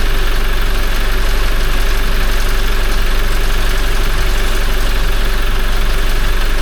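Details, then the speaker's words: Toyota 1GD-FTV diesel, 40,920 km, first start right after an oil change to Ravenol: fast metallic chatter at idle as the timing chain rattles until the empty hydraulic tensioner fills with oil, stops abruptly, then returns somewhat quieter. "затрещал, потому что система пустая была. Потом прекратился резко. Только заполнился, видимо, этот гидронатяжитель натянулся."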